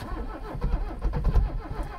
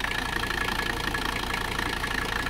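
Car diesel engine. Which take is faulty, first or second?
first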